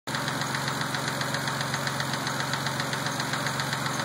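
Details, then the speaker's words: Mazda petrol engine at idle after a dealer lifter job: loud, steady knock-tick about two and a half times a second, louder once warm, absent before the job; cause unknown. "what it sounds like after I got the car back from the Mazda dealer. Once it warms up, it gets louder. It wasn't like that before."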